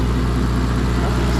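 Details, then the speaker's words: Mazda with header wraps idling after two-cylinder misfire cleared on its own (SRS light still on): low, smooth, even idle with no stumble; normal idle. "good nice and quiet see how it does under Boos"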